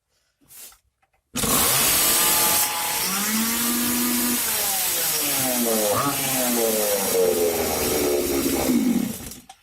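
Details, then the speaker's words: Stihl chainsaw warm restart after a few minutes of work, choke open, throttle latched at medium position, ignition on: after a quick pull it holds a steady high buzz at medium revs, slightly wavering but clean; normal fast idle. "Теперь у нас бензопила заведется на средних оборотах."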